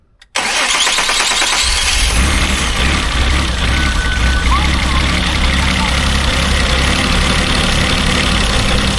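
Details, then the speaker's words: Mazda Bongo 2.5 V6 on a fully charged battery, after a new O2 sensor, fuel filter and electrical parts. It cranks, catches, then idles rough with an irregular stumble. The misfire persists; clogged fuel injectors are suspected next. "is sounding a little bit better but we still got that mire yeah that's made no difference whatsoever"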